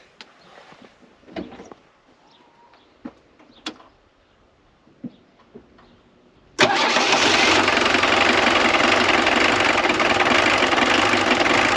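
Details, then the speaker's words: Jeep Cherokee XJ 2.1 TD diesel, started after its fuel feed was temporarily rigged to a hose and pumped full of diesel: quiet, then it catches at once and settles into a steady, even idle with no stumble or misfire. It works. "Alors la bonne nouvelle, c'est que ça fonctionne."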